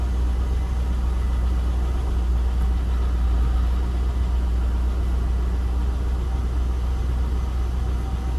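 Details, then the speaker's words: C5 Corvette first start after 4+ months sitting for harmonic balancer and front subframe replacement, with a new starter: it fired right up into a steady, even V8 idle with a deep smooth burble and no knocks or misses. "k over a few times before it started but man as you guys heard this thing fired right up and part of that was help to the new starter that i put in the car but this thing fired up like a champ and it was no problem"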